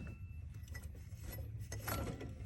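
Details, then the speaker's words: 1997 Ford F-350 7.3L Powerstroke diesel, 164,000 miles, intermittent knock/chatter when warm; belt relieved and tensioner pulley spun by hand gives a gritty, rough rattling growl as it coasts down: worn tensioner pulley bearing, found with a stethoscope. "oh i'd say that's bad one sounds good oh yeah the bearing's fried in there oh yeah that's it"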